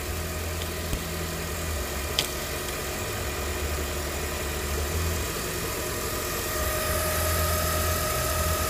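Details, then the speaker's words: 2008 Jeep Grand Cherokee 4.7L 4x4, came in dead with smoke from fuse box: idling with a thin steady whine climbing under load, about 400 mV AC ripple; alternator failed, can't output, replaced with a new unit. "we probably can't put a more overload because this alternator failed i can't output that's why it's screaming"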